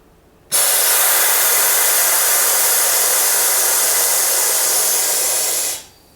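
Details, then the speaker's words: Salvaged DeVilbiss iFill oxygen pressure booster run on shop air: steady five-second airy hiss as the piston strokes back after both switches are flipped, then cuts off cleanly; high-pressure side reaches 30 bar, a normal cycle. "So I flip the 2 switches and move the piston in that direction. And we already have 30 bar."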